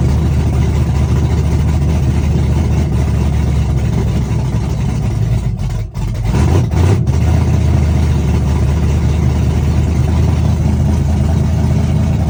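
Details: Chevrolet S-10, first cold start of the day, open headers, Holley red electric fuel pump, cam about .480/.488 exhaust lift, ~297° advertised duration: loud, deep choppy idle with uneven lope and header bark; normal big-cam idle.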